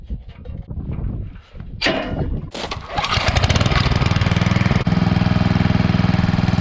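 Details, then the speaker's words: Coleman Powermate 5000 W generator after a new spark plug, still giving about 80 V: a steady but low chuffing beat, about four a second, running under full speed; the throttle adjustment needs correcting. "so we might just need to adjust the it doesn't sound like it's running fully"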